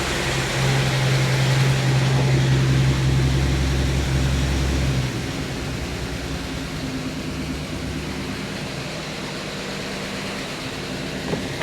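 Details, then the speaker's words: 1952 Chevy Styleline Deluxe, cold, Rochester carb after freeing a stuck needle: steady low idle with an even beat and no stumble, lazy to rev while cold; the carb leak has stopped for now. Normal cold idle. "huh of course it's a little cold so it doesn't want to rev for me but for now that leak seems to have ceased"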